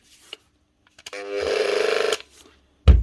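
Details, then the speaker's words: Bosch GWS 9-115S 115mm grinder not running: short buzzing hum with rapid pulsing, no spin-up whine; shorted armature energizes wrong segments, rocking back and forth instead of rotating. "can hear it shorted out on side, and the armature is just going back and forth. It's not actually rotating."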